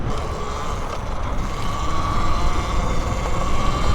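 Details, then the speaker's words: Talaria Sting R e-bike riding over a rough track: irregular loose clanking under the steady motor tone as the battery rattles in its stock rubber blocks, jumping with each bump. It is to be fixed with an air shim. "ooh listen to that battery rattle that's a good reason for this video right here clanking around that's sick"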